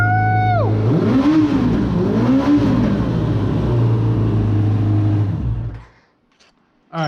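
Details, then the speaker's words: Suzuki RF900 motorcycle with new engine, earlier died on throttle, leaking hose, worn throttle cables: started right up, picks up cleanly on each blip, revs rise and fall smoothly without stumbling, then shuts off; revving normally. "sure enough started right up I can rev it finally give it some gas and maybe that's all I needed"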